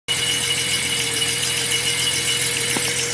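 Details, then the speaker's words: Datsun 240Z carbureted engine at idle, after it wouldn't restart at a gas station and one float was drained: steady high whistle or whine at one pitch; owner says it is not the belt and the source is unknown. "after i drained it and she started but now this noise like whistling kind of noise is coming from the motor i don't know where it's coming from"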